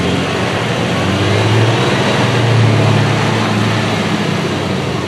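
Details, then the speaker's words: 1996 Dodge Dakota 3.9L V6 on road test after replacing a locked-up fan clutch, cold outside; engine pulls smoothly while the modest fan rush eases off; new fan clutch slipping as it should. "All right, so you just heard right there, the fan clutch slipped, and it should, because it's cold outside. It should not be on right now, it is not needed."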